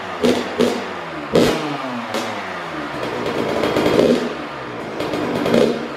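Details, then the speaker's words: Newly built Kawasaki KX112 two-stroke, first start after Pro Circuit pipe, R-304 silencer, Boyesen RAD valve, VHM high-compression head and rejetting, on premium non-ethanol fuel: crisp blips rising and falling cleanly, quick pickup, no bogging or misfire; healthy. "sounds awesome but again i i gotta start this thing up again super super good running bike that's for sure"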